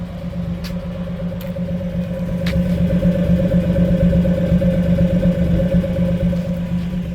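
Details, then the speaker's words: 1962 Ford Falcon Ranchero, 144ci six, mildly restored, new battery: steady, even idle with a smooth low hum; no popping or misfiring from the tailpipe or engine, no oil burning, shifts smooth. "there's no popping or misfiring anywhere coming out from the tailpipe or the engine not burning any oil shift smooth"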